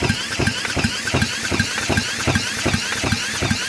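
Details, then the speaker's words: Raptor 3 ATV engine, first start attempt after a stuck valve was freed with a hammer; spark confirmed. Starter cranks steadily at about two and a half pulses a second with even compression strokes each turn; spark and compression present. "all right so we got spark we got compression whatever impression we got"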